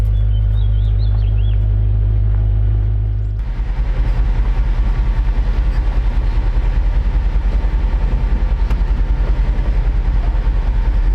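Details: 1956 Chevrolet Bel Air Nomad resto-mod with fuel-injected 350 V8 and 700R4: starter cranking, a firm catch, then a deep, even lopey idle pulsing about 2.5 times a second. Runs healthy.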